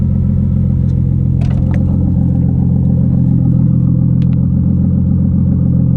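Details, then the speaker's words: Automatic RB25DET NEO turbo six swapped into a 240SX, recorded from the back: steady even low rumble, no knocks, ticks or misses; normal idle. "I'd come home and it starts right up every time. No issues. Every time. Runs perfect."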